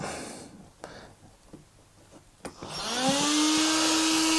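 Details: Hobao SSTe RC car at the first electronics test with the radio on: ESC, servo, receiver and 2S battery installed. A few light clicks, then a small fan whirs up and settles into a steady hum: a clean power-on.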